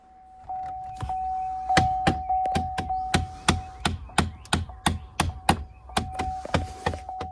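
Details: Chevy Equinox (2010–2023): repeated knocks behind the dash, about three a second, from a failing HVAC blend door actuator, with possible no-heat symptoms; fixed by replacing the actuator.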